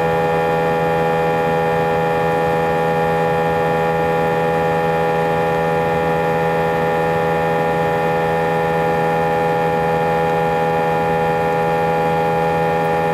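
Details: A320 cabin during takeoff: loud steady droning roar with several fixed unchanging tones, vibration felt through seats for the whole five-hour flight, drowning intercom announcements; abnormally loud engine noise, cause unknown.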